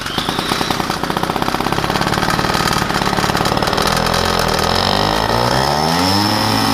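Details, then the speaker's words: Two-stroke moped with Polini reed block, replaced intake, head gasket leaking and base gasket leaking (wrong base gasket used): rapid, slightly ragged buzz wavering in pitch, not settling; running fairly well despite air leaks. "But my head gasket is leaking. My base gasket is leaking."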